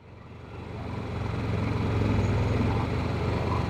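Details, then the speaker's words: Yamaha EF6300iSED carbureted generator under 1000 W load on only 32 oz of fuel, at about 45 minutes: low drone pulsing unevenly about four times a second, engine hunting and surging as fuel runs out before shutting off; fuel starvation. "the Yamaha is surging at 45 minutes guys something's happening still putting out power they're both surging they're both surging"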